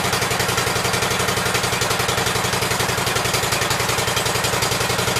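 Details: Cub Cadet garden tractor after a new right-hand coil was fitted, with the shroud on but the air filter off: a steady, even idle of about four pulses a second, both cylinders firing, no misses.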